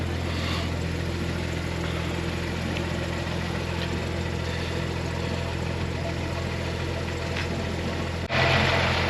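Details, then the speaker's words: BMW 114i donor being converted to M140i, original engine: runs steady and smooth at idle with no knocks, misses or hunting, coolant level low; healthy normal idle. "but that engine man bloody hell that engine sounds proper very happy"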